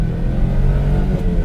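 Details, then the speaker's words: Suzuki Carry dump truck on a test drive, accelerating from first through third and reaching 80 km/h: engine pulls cleanly, revs rising smoothly with no misfires; peppy and healthy. "Very peppy and sounds great as well. Um, we are up to 80 km now."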